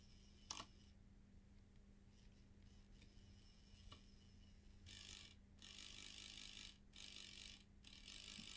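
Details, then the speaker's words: Bose 3-disc CD changer, small motor bench-powered at 4 volts with the unit open: a few quiet clicks, then harsh, stuttering grinding bursts from a sticking gear. "you hear that grinding noise I can see exactly what's going on"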